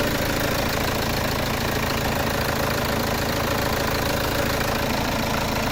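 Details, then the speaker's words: Peugeot 307 2.0 HDI diesel, fault codes P1112 and P0204 (TDC/crank sensor suspected), after restart with no leaks; steady even idle clatter with constant low rumble, no misses or knocks; normal idle. "Donc j'ai mis de la 540 comme ça ça tourne mieux. On l'entend bien bruit moteur. Ça tourne mieux marin."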